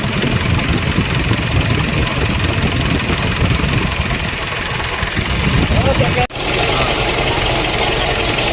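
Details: 2016 Mitsubishi Montero Sport diesel idling: steady rough hum with a dry rushing whir from a worn bearing inside the alternator, which had been blamed on the turbo; fix is replacing it with an original bearing.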